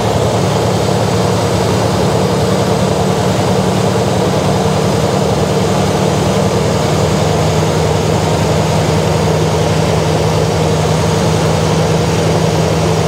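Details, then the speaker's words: Jeep CJ5 that wouldn't idle, after cleaning a carburetor jet and adjusting: low, steady idle holding speed without stumbling or surging, still idled up slightly, possibly timing; runs smooth now. "hmm yeah that sounds better there it was more turned closer to the vlog that sounds happier"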